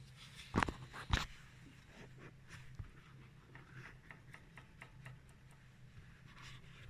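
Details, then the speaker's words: Lada Vesta NG front caliper with the wheel off, pad rocked by hand: two sharp metallic clacks, then lighter ticking. The outer pad is loose between the bracket and the brake disc, while the inner pad is held firm by the piston. "слышите Да вот это у нас гуляет колодка вот между скобой и диском тормозным а внутренняя при этом мёртвая вообще потому что задав поршнем"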